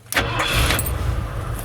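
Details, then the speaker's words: Ford truck with a self-resetting ignition kill-switch relay, after the hidden switch is pressed and the relay clicks: a short crank catches almost at once and settles into a steady idle that keeps running. Normal start. "keep running and once you turn it off right back to the same thing"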